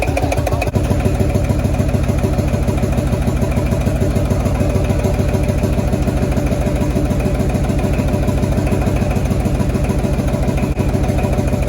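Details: Field Marshall Series 3A single-cylinder engine on first start after a rebore and oversize piston, fitted after a snapped piston ring likely caused by bore pitting: steady, even thump at about 136 beats a minute with no knock or miss; normal running, sounds better than before.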